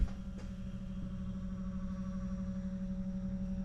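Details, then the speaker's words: Auxito H11 LED headlight bulbs just installed in a 2013–2015 Nissan Sentra (B17); faint steady low hum from the bulbs' cooling fans, normal. "Hopefully you can hear that humming noise. That is how strong those fans are."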